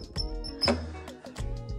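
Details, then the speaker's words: Thrustmaster gaming pedals squeaking with falling pitch on each press, from dry, unlubricated pivot pins, heard over background music. "here is my pedals and whenever i press it makes that terrible noise"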